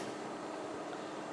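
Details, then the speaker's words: MIG/MAG welder shielding gas regulator opened step by step from closed, set by ear; smooth, steady hiss with no sputter or flutter, pretty much good flow, correctly set. "Open a bit, there is a flow. Open a bit, there is a flow. Open a bit. Aha, this is pretty much good flow."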